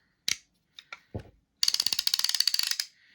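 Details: Penn Leveline 350 baitcaster reel after cleaning, lubrication and reassembly: crisp, even ratchet clicks, about seventeen a second for just over a second, no grinding or skips; the clicker works properly.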